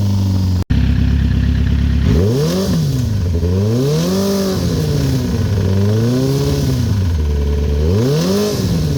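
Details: 2008 Kawasaki ZX10R partly warmed up (reading 162): steady idle, then repeated revs with a faint clatter or knock riding along. Cause unknown.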